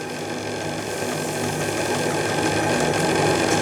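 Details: Repaired JMC 3 steam engine in the roughly 10 kg Lechalas RC steamboat, running at about 1.8 bar: quick, even chuffing around three to four beats a second with a light mechanical tick; runs smoothly.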